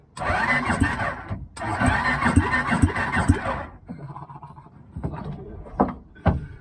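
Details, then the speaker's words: Homemade mower fitted with a cheap 250cc motorbike engine (originally fuel-injected, being converted to CDI), new battery and generic Chinese wiring loom: two bursts of uneven chugging cranking, starter spins engine normally; no spark yet, normal cranking. "Alright, so I've got it cranking. Know that works. I mean, that wasn't going to be much of a mission."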